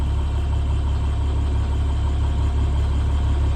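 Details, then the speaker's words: 2012 International PB105 short school bus, 167,125 miles, starts right up with no dash lights: steady even low rumble at idle, no knocks, misses or hunting; engine sounds healthy, no drivability issues reported. "But you can hear the engine sounds healthy."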